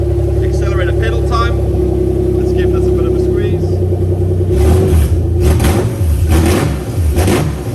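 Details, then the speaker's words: Toyota 1G-FE VVT-i in a Lexus IS200 on new ECUMaster Black harness, accelerator pedal test: loud open-pipe idle then quick throttle blips rising and falling cleanly, no stumble or hesitation; runs smooth, normal revving. "okay guys so yeah she runs smooth super happy with that"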